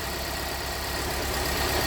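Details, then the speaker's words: 2017 Hyundai Santa Fe Sport 2.4 with code P0301, during an injector disable test: idle has a regular low stumble, a slightly lumpy beat. Disabling injectors 2–4 changes the idle, disabling cylinder 1 does not. Cylinder 1 misfire. "so number one didn't change let me disable the injector again for number one"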